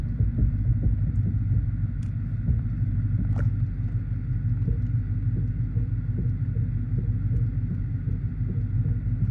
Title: Steering knocking noise dodge challenger charger Chrysler 300